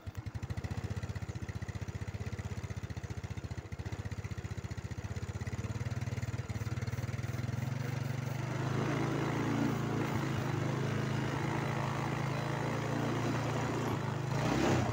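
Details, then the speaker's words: Yamaha Mio scooter with a recurring flat-battery problem, started and warming up before a starter check: steady, even single-cylinder idle at about four beats a second, slightly louder as it warms, clean with no knocks; normal idle. "पहले मोटरसाइकिल चालू करें। आइए इसे गर्म करें। दूसरे शब्दों में, हम इसे कुछ क्षणों के लिए चालू करते हैं, और फिर बाद में, हम स्टार्टर की जांच करते हैं।"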